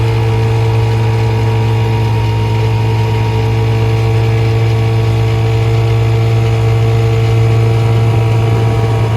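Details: 1956 Johnson 7.5hp AD-10M two-stroke outboard in gear under load on a 14-foot deep-V Sylvan boat, about 8–10 mph: smooth, even drone with steady low hum, no misses or knocks; very good running, quiet, reliable motor.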